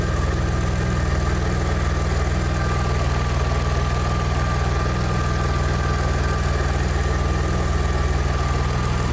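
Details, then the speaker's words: Engine-swapped Audi A4, after soldering damaged sensor wiring that caused crank no-start: steady even idle with smooth low hum during wiggle check, no misses; signals perfect. "wiggle check oh i'm confident this perfect signals it's all good"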